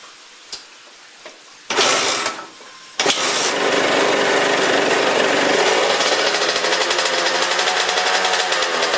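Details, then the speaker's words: 2004 Suzuki RM125 two-stroke after top-end rebuild, in neutral with chain on: after a few kicks and some clatter it catches and settles into a crisp, steady idle; runs normally. "There you guys go. That way you know it runs."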